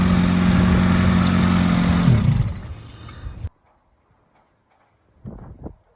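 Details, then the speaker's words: Freshly rebuilt Honda B18C1 GSR engine swapped into an Acura Integra LS, first start: fires and holds a strong, even idle a few seconds before shutting off, no knocks or ticks; later ran two hours without overheating, normal. "yes sir she's been running for like 2 hours now she um sounds really good no small no le red really good doesn't overheat nothing"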